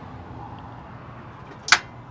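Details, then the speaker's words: 2011 Chevy 3500 HD, 6.6 L Duramax diesel, no crank no start: key held in crank gives a single sharp click over a quiet hum with no cranking, 11 V at the exciter wire; battery, connection or starter suspected. "definitely hear it clicking almost a little click and then I one time I felt like I heard a starter try a little bit we could just have a uh a battery issue we could have a um connection issue starter you know"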